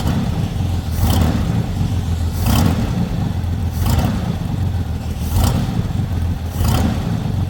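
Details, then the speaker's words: Chevy lowrider V8 after unhooking a line that stopped oil blowing out the dipstick: deep steady rumble with regular throttle blips about every second and a half, running even, quiet and healthy. "so quiet can you hear that thing Run"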